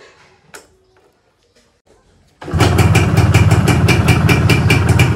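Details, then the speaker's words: Yamaha 125Z two-stroke on its first run after a rebuild with a new connecting rod, the block tidied and the stock exhaust still fitted. It catches on a short kick to an even, crisp, smooth idle. A slight piston noise remains because the piston was not replaced. Normal idle. "Alhamdulillah mesinnya segini udah cukup halus, teman-teman. Untuk bagian tengahnya udah enak, sekarang suaranya juga udah lebih keluar."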